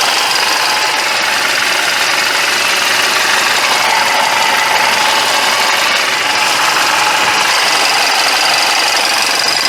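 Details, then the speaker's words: Mercedes-Benz E200 coupe idling warm with thick, sticky oil with additive, a busy harsh clatter louder than normal; owner used premium fuel against knocking, P0420 code set, pungent lean-running exhaust differing between banks. "이 자동차는 제가 알고 있는 소음이 아닙니다. 바로 끈적끈적한 오일을 넣었을지언정 또 냉각수가 고온으로 유지되고 있도록 만들어준 정성을 뛰어넘는 소음을 내고 있다."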